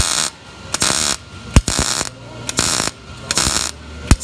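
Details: Miller MIG welder, manual pulse technique on 18-gauge thin butt joint, settings slightly hot: crisp arc crackle bursts about once a second with quiet gaps between stitches; steady normal pulsed weld.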